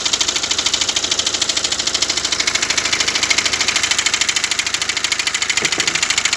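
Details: BMW X1 diesel at idle: a steady, fast ticking clatter about three beats a second over an even idle, from the crankshaft damper pulley.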